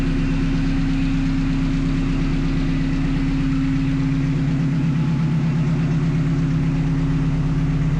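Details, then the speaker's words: 1974 Alfa Romeo GTV with swapped Honda S2000 engine and 6-speed, first start after sensor checks and e-throttle calibration; idle settings adjusted to a steady, even idle at about 900 rpm, low smooth drone, no knocks or misses: normal idle. "So, I do keep adjusting the idle settings and do get it to idle right at about 900 rpm, which is great."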